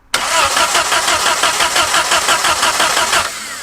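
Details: Abandoned 1950s-60s Willys Jeep truck at first drive attempt, full throttle with a little choke: starter cranks steadily about three turns a second with no firing; no spark, coil believed burned up by leaving the wire on.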